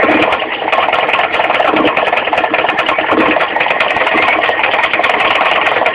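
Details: Mitsubishi 4G15 carburetted engine at idle: fast, even light ticking in time with engine speed from the crankshaft pulley area low down; loose crank pulley, fixed by tightening it, not replaced.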